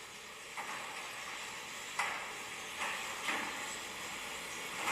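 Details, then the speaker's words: Garage door opener in the shop (Genie Pro Max or LiftMaster Logic 2) running the door; soft running hiss with short sharp squeaks about every second. Runs quieter than expected but one squeak still needs fixing. "So, yeah, that is much quieter than I think it is. But, we still have to get that one squeak fixed up though, but it still does work."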